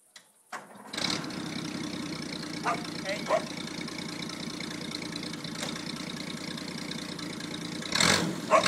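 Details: 1979 Land Rover Series III 2.6 six-cylinder after setting base idle speed; ignition, valve clearances and distributor vacuum unit still to sort, timing chain a bit loose; short crank then slightly lumpy uneven idle, rough untuned idle.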